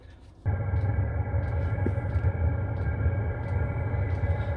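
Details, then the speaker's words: Chinese diesel heater mounted in pickup bed under a topper, run on two batteries, heard as the fuel pump starts and at the exhaust outside: steady even low roar with faint constant hum; burning cleanly, running normally. "not sure if you guys can hear that but the pump is starting let's go check the exhaust outside"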